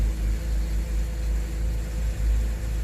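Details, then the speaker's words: BMW N52 engine, started after sitting two weeks: low uneven rough idle with the whole car shaking, no check engine light; vacuum testing found the failed CCV crankcase ventilation valve. "yeah it's rough and the whole car is shaking I'm not sure how I can show you that but the whole car is shaking"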